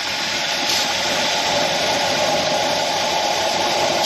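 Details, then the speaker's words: 1966 Ford F100 with 351 Windsor at idle; steady idle with constant airy hiss, no misses; pulling a suspect vacuum line didn't change it, so a vacuum leak remains. "Is this guy still, or maybe it's still sucking air through the back of it? So we think we still have a vacuum leak."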